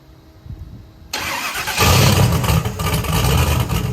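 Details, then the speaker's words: Chevrolet Camaro Z28 V8 on its first start after three years of work: brief quiet cranking, then it catches at once into a deep, strong rumble; normal, healthy start. "all right that sounded way better that was the first start"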